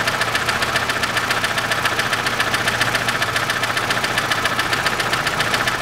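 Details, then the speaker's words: 2006 Chevrolet Lanos, 1.5 petrol, manual, FWD, 342,000 km, before repair: a steady sharp tick from one valve over a smooth idle. Found a poor-quality rocker that had worn its camshaft lobe, not the hydraulic lifter. "только вот будет стучит именно один клапан чуть-чуть на третьем фильме"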